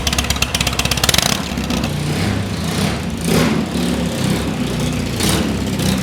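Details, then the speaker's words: Custom BMW R80 airhead boxer twin, rebuilt after being found in a hedge, cranks and catches at once with a lumpy burst. It blips, then settles to a steady, throbbing twin idle, starting and running fine. "Right, well, I best prove that it runs, so let's start it up. It's got the M-lock just under the seat there. So she's on, and let's make a racket."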